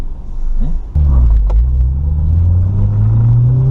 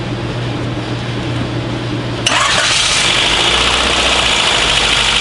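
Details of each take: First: Honda Del Sol with a swapped B16 VTEC engine, full-throttle acceleration on the road: throttle snaps open and a deep, even drone climbs steadily in pitch, clean with no knocks; healthy engine pulling hard. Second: Honda Del Sol after swap to a replacement B16 engine, first start after cranking to build oil pressure, timing off: catches after two seconds into a busy, slightly uneven idle with a faint stumble; owner suspects a missing cylinder or fouled plug.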